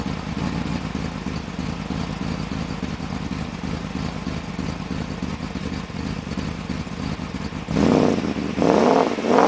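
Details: 1995 BMW 530i after a top-end engine rebuild: uneven, lumpy idle, then four quick throttle blips; running rough due to a vacuum leak.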